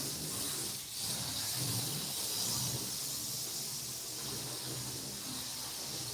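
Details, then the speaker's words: TFX slot car run after track cleaning to test the rails: a steady, even high-pitched motor hiss with no stutters or dropouts, so it runs smoothly on clean rails. "I got that's running pretty good"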